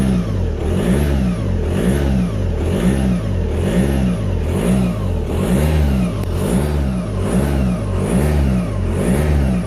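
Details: Audi A4 B7 2.0 TDI, new noise after oil pump and timing belt replacement; blipped about once a second, a thin whine rises and falls with each rev. Owner suspects turbo whine, unconfirmed.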